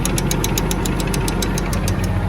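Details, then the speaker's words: Case CS 150 tractor, PTO out of gear inside: steady diesel idle with quick even ticking about eight a second over a low rumble; normal PTO clicking for this tractor. "PDO working. Well, it's not because I have it out of gear inside, but you can hear it clicking"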